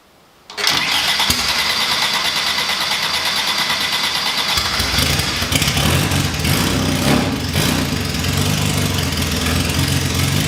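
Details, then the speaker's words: Classic Mini race engine first start from cold, big carb, no exhaust or breathers: catches quickly, crisp loud open idle, snappy free revving, no misses or knocks; healthy. "Right, so that was awesome to hear the engine running. It sounds really snappy when you rev it up. It's really free revving and sounds like a race engine should. I was quite surprised at how well it just idled even from cold."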